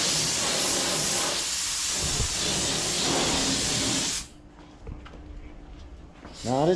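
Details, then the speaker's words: Paint spray gun during 1981 Corvette hood body work: strong constant airy hiss about four seconds with no trigger pulses, then cuts off; air valve stuck open, gun needs rebuilding. "got a little bit of an issue going on with the [Music] gun just got some problems for yeah what's the issue with your gun sounds like it's stuck in air"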